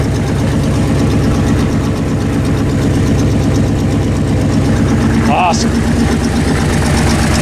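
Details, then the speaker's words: AMC 304 V8 on a wood chipper, idling after alternator rebuild for charging fault: steady idle with faint even ticking on top; owner thinks it is just the exhaust, unconfirmed. "You can hear a little bit of a tick, but I think it's just the exhaust."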